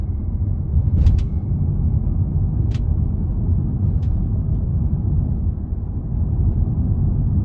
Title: Polestar 2 clicking sound when going over cracks/rough road